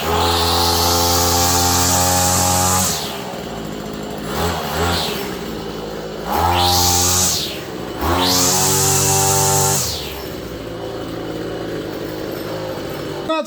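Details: Hyper Tough two-stroke string trimmer, about 32 hours, after a gearbox replacement: starts and revs up and down several times with a clean, rising whine each blip; running properly.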